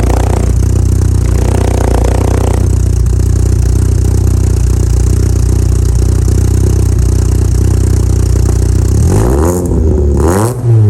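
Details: VW Mk2 Golf GTI 2.0 8v project build, engine heat cycled a few times, backed into the garage: deep even idle with steady low rumble, then quick throttle blips rising and falling cleanly; healthy exhaust note.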